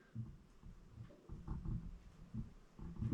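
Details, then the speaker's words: DI-ACRO bender from eBay that the dealer claimed had no play, head rocked side to side by hand: dull low clunks in separate bursts. It is worn, probably the ring, though the top could also be worn until torn apart. "you can hear that. So that's worn out. Probably the ring, but until I tear it apart, even the top could be worn."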